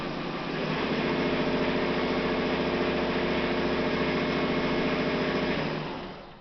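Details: Martindale 2051 folding machine, fold rollers running: steady even whir with a smooth roller beat about 3.5 per second, no thumping. Flat-spot thumping from storage had already run out, normal roller run.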